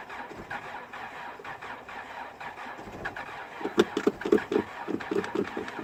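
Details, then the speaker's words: 2004 Chrysler Sebring with no power, coolant bubbling out: quiet, uneven idle with irregular popping and stumbling beats, cylinder at fault unknown, seemingly not firing on all cylinders; multiple cylinder misfire. "not sure which ones the culprit but it definitely doesn't want a fire firing all three cylinders man I thought"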